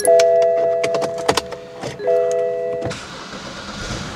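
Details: BMW that wouldn't crank, after a failed ground cable was replaced following load testing. The starter whirrs quickly with a chime over it, then the engine catches and settles into a steady run despite a weak battery and a misfire. Starting normally.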